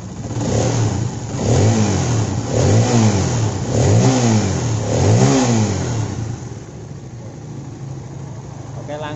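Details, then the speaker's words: Honda CB150R after repair of a rough, noisy engine: four clean throttle blips rising and falling smoothly, then an even idle; the earlier clattering is gone and the engine runs normally. "Hai suaranya sekarang ngebacot suara yang letek letek tadi langsung ilang ya"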